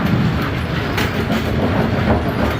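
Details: Bowling pinsetter after correcting pin-detecting link installation and new bell crank, restarted from 90° on a strike: steady even mechanical rumble and clatter without knocks or hesitation; stopped at 180, cycling normally.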